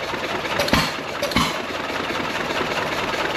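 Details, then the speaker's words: Slow, uneven firing beats over a steady mechanical clatter, no knocking: an old John Deere 1.5 hp gas engine starts easily the day after its revival run, fuel valve about three turns open, with rings earlier blowing by and little smoke. "oh there it goes well that was easy enough look at that back hard and running nice"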